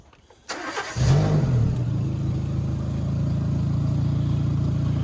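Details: Renault bought as scrap, started out of gear: it catches and settles into a loud, deep, blatting idle with a rough throb. The previous owner was told the exhaust manifold was at fault, but no manifold gasket is visible; the leak is suspected, not confirmed.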